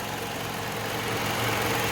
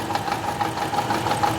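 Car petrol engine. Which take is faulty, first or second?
second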